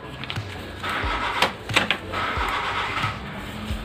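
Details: Brother DCP-L2540DW laser printer, about 277,000 pages, after fuser assembly replacement for a grinding noise, five continuous copies on auto quality: even whirring with soft paper-feed swishes and no grinding; printing normally.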